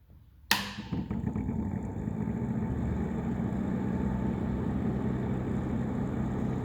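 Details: Nuaire Flatmaster 2000 fan on level two after PCB arrived with a possibly snapped piece: spins up into a deep warbling, rumbling whoosh with uneven fluttering roughness; sounds rough, cause not identified.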